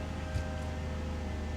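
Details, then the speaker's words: 2012 Nissan Altima SR V6, first start after repairs: faint steady whine from the front over a low even hum; CVT fluid suspected not completely full yet, cause unconfirmed. "Definitely hear a slight whine from up here. I am pretty certain that we don't have the fluid completely full yet."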